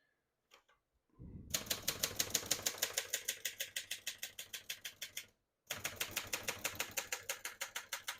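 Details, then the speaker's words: 1972 Hermes 3000 portable typewriter, demonstrating functions: crisp key strikes at about three per second with an even rhythm, a short pause, then typing resumes. Normal typing. "Once you hear the bell, you're near the end of the margin."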